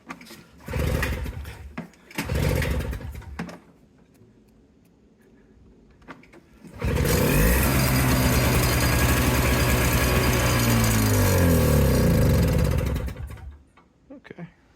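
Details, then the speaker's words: An old Toro CCR200E snowblower on its first start with choke after its brittle fuel lines and carburetor were replaced from a kit. It catches after a few pulls, runs loud, then wavers, sags and dies. The owner suspects the carburetor bowl hasn't filled with fuel yet. "might just need to get a little more fuel into that carburetor H maybe that Bowl's not filled up"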